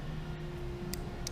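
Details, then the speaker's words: Relay for ignition-switched heated grips and USB charger on a Triumph Tiger 955i, tested with a power probe: two faint sharp clicks about a third of a second apart over low hum; relay switching properly. "hear that click that is the relay turn off when I are fit with the power probe that is all working"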